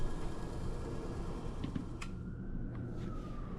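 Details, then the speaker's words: Two-pipe fan coil unit after rewiring its three-speed fan motor, fourth speed taped off: soft, steady low hum with faint even tone, no rattle or scrape; blower healthy on low speed. "All right, we're testing the three speeds. Low speed looking good. Nice and quiet."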